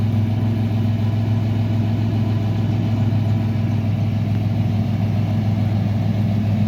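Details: 1998 Chevy Blazer, 200,527 miles, idling after evap/charcoal canister replacement for P0440 code; steady even low rumble with no knocks or hiss, no leaks.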